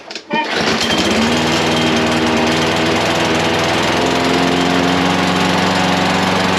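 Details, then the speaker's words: Briggs and Stratton small engine after carburetor cleaning: catches right away and settles into a steady but somewhat low, lazy beat without surging, seemingly running a bit slow; carb cleaned again afterwards, cause not confirmed. "Kind of sounds like it's running a little slow, but it starts."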